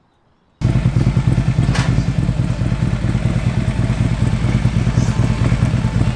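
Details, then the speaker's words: Harley-Davidson V-twin after cam job (easy-start cams, lifters, S&S oil pump, pump plate), rattle believed from the exhaust pipe/heat shields now gone: fires and settles into an even, loping idle with no rattle or clatter; normal idle. "so we think that's what it is because now it's gone"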